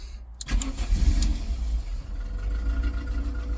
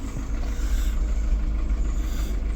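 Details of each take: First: VW Polo 6N with AFH engine conversion, stripped wiring loom: after key-on and fuel pump prime, the engine cranks briefly, catches and settles into a steady low idle with no misses; starts and runs normally. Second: VW Polo 6N AFH engine restarted after wiring removal, not run for a good while: deep, lumpy idle that wavers and never settles into an even beat. Rough running; owner suspects it needs oil, cause unconfirmed.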